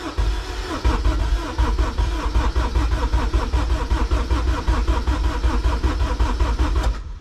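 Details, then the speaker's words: K24-swapped Honda EG before first start, injectors disconnected to prime oil through the system: even, rhythmic cranking for about seven seconds with no firing, knocks or grinding, then stops cleanly; engine turns over freely. "Okay, so we are priming the oil through the system. It sounds good."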